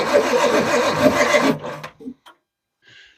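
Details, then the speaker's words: Perkins 6-cylinder diesel in homemade RV on 1966 GMC bus chassis, bleeding injector lines: starter grinds it over at about three beats a second for a second and a half, never catches; air lock in fuel lines. "just bleeding a bunch of air all right try and crank it just well try it again get ready to shut it off I guess if it fires for a second now's a ton of air lock"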